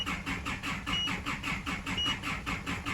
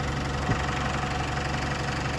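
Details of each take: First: Isuzu D-Max cranking: rhythmic starter churning at three to four beats a second, never fires; codes for EGR closed position performance and camshaft position, scan shows no engine speed with high rail pressure; cam/crank sync suspected; crank no start. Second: Isuzu D-Max diesel after a crank-no-start fault (codes included EGR and camshaft position; the engine ECU was ruled out) has been fixed. Steady, low idle with an even, light clatter and no misses or surging. Normal diesel idle.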